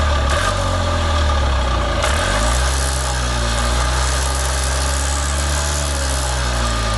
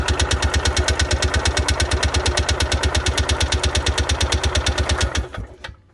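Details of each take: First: Columbia Parcar (Freightliner-badged) gas golf cart, revived after not turning over: low, steady putter at idle with an even beat and no knocks or misses; normal idle. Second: Columbia Parcar golf cart after fuel was primed to the carburetor: fast, even starter chugging about nine beats a second for five seconds that never catches; cranks without starting because the choke was off.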